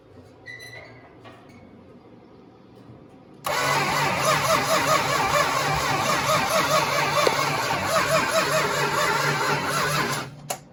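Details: 1969 Dodge Charger 500 barn find, dormant 27 years, new plug wires and thermostat, gravity-fed fuel: starter churns steadily about seven seconds, roughly two beats a second, never fires; crank, no start.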